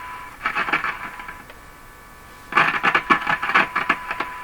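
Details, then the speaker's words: Canadian General Electric C403 tube radio during alignment: irregular crackles and pops over a steady radio tone as the tube is wiggled; likely poor contact between the tube's shield sleeve and its contact, probably not the tube pins, intermittent crackling. "This tube has a sleeve on it, and the sleeve is making just a contact here. And I think it's very good. So I think as I wiggle the tube, this contact is changing with the sleeve, and that's what we're really hearing. I don't think it's tube pins."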